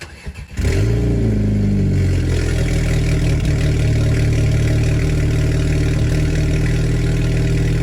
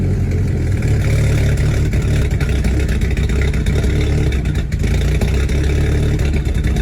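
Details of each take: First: VW GTI direct-injection petrol engine after walnut blasting of the intake valves to cure cold-start misfires: cranks, flares briefly on the first start, then settles into a smooth, steady idle. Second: Direct-injection VW GTI cold start, before walnut blasting the carbon-fouled intake valves: lumpy, uneven idle with stumbling beats, as if only two or three cylinders fire. After cleaning, the first start was still a little rough.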